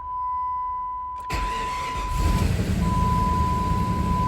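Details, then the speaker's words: Jeep Grand Cherokee that sat unrun for years, after new fuel pump and lock ring, first start: chime, brief crank, engine catches quickly and settles into an even idle; healthy start, fluids low. "Oh, it's running, guys. And that sounds good. That sounds way good."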